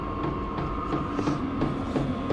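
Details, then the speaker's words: HCalory HC2 12V diesel heater (5-8kW) after its setting was turned down: it ramps down, steady fan whir with slower fuel-pump ticks about three a second, fan dropping back; normal low-heat running. "so because we turn it down, it's actually ramping down now quite a bit. So you hear the fuel pump going slower, the fan drop back down."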